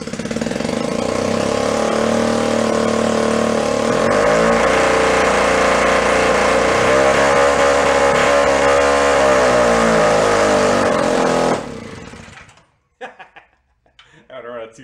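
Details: 1937 Sears Water Witch 2.5 hp two-stroke outboard, 83 years old and stored in a shed, first run after revival, mounted in a vise. It rattles along at an even two-stroke buzz with a brief rev change, then shuts off cleanly: normal running.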